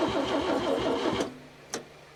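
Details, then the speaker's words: 1961 Chevy Biscayne, 235 inline-six, 3-speed manual, sat 30+ years in a junkyard: about a second of even cranking with no pops or firing after plug wires were reordered. No backfire and no fuel getting through, so an external fuel tank and pump were tried next. "it's not backfiring now we're not getting any fuel either"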